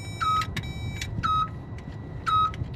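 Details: Unknown dash warning alarm on a Freightliner Cascadia diesel truck that won't crank or start, with a Power Probe plugged in: three evenly spaced high beeps about a second apart over a faint hum.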